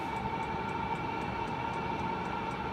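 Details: Chinese heater (owner's term) with a makeshift air filter on the induction side, first lit after priming and bleeding the pump, in a quick test: steady blower hum, held mid tone, even combustion rush and light regular ticking; running normally.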